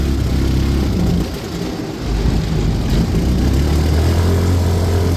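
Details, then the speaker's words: Auction-bought non-running go-kart with a bad fuel system, first test drive after revival, cruising about 20-30 mph: the engine sags under throttle for about a second before picking back up, a hesitation and sputter suspected from the carb but not confirmed. "Got a little hesitation from the car. We're gonna sputter it a little bit."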